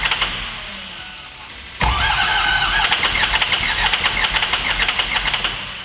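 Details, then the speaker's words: Adventure bus engine after a bad fuse box pin was fixed: lopey, pulsing choo-choo idle with a puff every few beats, cylinder 7 dead and misfiring from a valve held open; fuel pressure 60 psi, injectors tested good. "And do you hear how it sounds like a choo-choo train? Yeah, that's because cylinder 7, it's not doing anything. It's misfiring."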